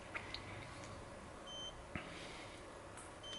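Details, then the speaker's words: Arduino water leak detector for HomeSeer, leak rope unplugged so reading rises to 224% of baseline: two short loud high-pitched buzzer beeps about two seconds apart, sensor fault-mode alarm. "in this tiny little buzzer but it's really loud just keep using it's gone up 224 so that's that's the that's the fold mode"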